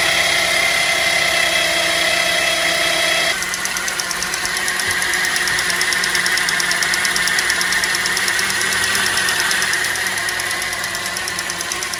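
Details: 2010 Chevy Traverse after topping off with full-synthetic power steering fluid: a steady high whine over the idle, much reduced but still present and easing partway through; power steering pump whine suspected.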